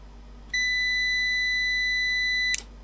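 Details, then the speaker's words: Old UPS powered from a bench supply, diagnosed without schematic: one steady high beep about two seconds, then a sharp click as it cuts out, front LEDs light then go off; unit powers up but drops off, cause not yet found. "yes it was just powered up with a continuous bleep then i hear it clicking off"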